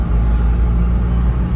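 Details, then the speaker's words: Mazda CX-5, exhaust flex pipe wrapped with three layers of fibreglass heat tape, three days on; driving, steady deep rumble with no raspy growl or puffing; quiet now, owner expects it won't last and will need replacing. "реально тихо стало не знаю только на долго ли он скорее всего ненадолго Надо будет потом менять"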